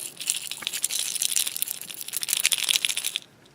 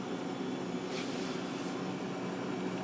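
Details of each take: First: Refrigerator that is warm, not cooling and ticking: loose bits rattle inside its compressor start relay shaken by hand, the insides broken; the owner plans to replace it along with the overload, hoping the compressor then starts. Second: Refrigerator that had stopped cooling and was ticking, after a new relay was installed with the old overload kept: the compressor runs and the condenser fan gives a steady, even hum with a soft airy rush, working normally.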